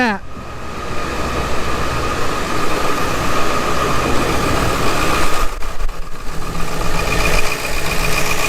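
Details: 1999-2003 Ford 7.3 Powerstroke diesel after fuel bowl (filter housing) leak repair with new O-rings, fuel bowl refilled by key cycling: steady, even idle with smooth low rumble, no knocks or misses, no more leaks.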